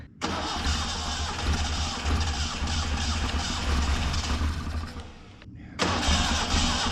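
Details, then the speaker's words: 1974 Datsun 620 pickup, revived after 45 years parked, starts after the shaft was pulled and re-timed; it cranks, catches, runs rough and uneven for seconds, stumbles, nearly dies, then picks back up. "Yes! She was running. Well, at least we got her once, Bill. Yeah. It ran."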